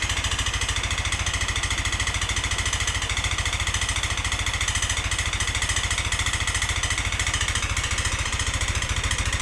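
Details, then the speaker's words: Yamaha NMAX scooter with rough noise and thick smoke: harsh, rapid metallic hammering about three or four knocks a second over a rough idle. The piston was found destroyed and needs replacing; piston knock. "ini ini ngepasi yang bermasalah itu di bagian piston karena suaranya seperti yang kita dengarkan Tadi suaranya Kasar banget jadi mau enggak mau kita harus ganti piston karena piston sudah hancur seperti ini"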